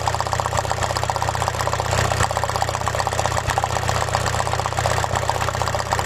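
Uneven, lumpy idle with an irregular stumble about every half second over steady engine hum; one cylinder dropping out, misfiring. Cause suspected, not confirmed.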